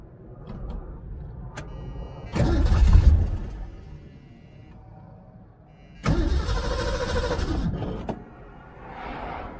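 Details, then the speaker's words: 1978 Ford Mustang II, carbureted, sat for months, old gas poured down the carb, battery booster on, choke off/half: catches, runs rough a couple of seconds, dies, then cranks and fires before fading; fuel starvation, little fuel in filter. "well yeah apparently we had no fuel a little bit of fuel in the filter"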